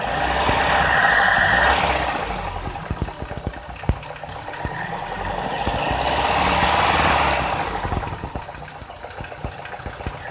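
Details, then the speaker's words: Toyota Kijang Grand, 5K 1500 cc carbureted engine, jets 100/100: blipping from low to high rpm, revs sag briefly before rising, fuel supply lagging; carburetor cannot run 90/100 jets because its solenoid has no wiring. "Gejalanya adalah ketika Anda menginjak pedal gas dari RPM rendah ke RPM tinggi, ada sedikit jeda. Sepertinya pasokan bahan bakarnya tertinggal, Anda tahu."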